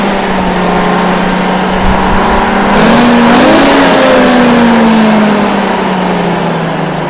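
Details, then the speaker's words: Detroit Diesel 6-71N bus engine after a fresh in-frame rebuild, revved up. A strong diesel roar climbs and falls smoothly with no knocks or misses: normal revving. "okay now I'm gonna go start it up and rev it up"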